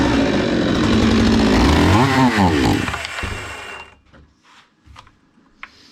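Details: Zomax 5020 two-stroke chainsaw, carburetor cleaned but still stalling and not taking throttle; revs hard and rough, then sags and dies within seconds, before mixture screw adjustment.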